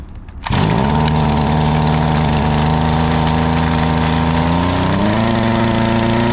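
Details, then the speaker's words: STIHL FS38 two-stroke line trimmer, first start after about two years with fresh fuel and throttle in starting position: fires and holds a steady buzzing idle, then pitch drops as the idle screw is turned down so the head doesn't spin; normal idle. "a it's going to bring the idle screw down until we get to a low enough idle that the tri ahead doesn't spin on idle"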